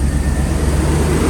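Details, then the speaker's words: 1991 Mercedes-Benz R129 500SL V8 after cleaning distributor cap and rotor and changing cam sensor, started in a few cranks, warming up, no throttle: deep even idle with slight rise and fall in rpm, normal for this car until warm; no stumble or stalling. "All right, I haven't hit any gas, and it's not stalling out or even seeming like it's going to, so that's good."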